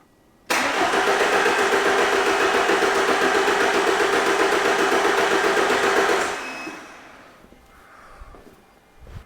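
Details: 2011 Ford Transit Connect 1.8 TDCi crank no-start: steady cranking at about four beats a second for six seconds, never firing, with the crank sensor waveform good at the de-pinned ECU plug, so the engine ECU was condemned.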